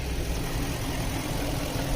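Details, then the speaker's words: BMW at a Copart auction, V8 rather than the 3.0 inline six, at idle: steady, even low rumble with no misses or knocks; the V8 idles smoothly. "Oh nah, this don't sound like no inline six. This sounds like the V8."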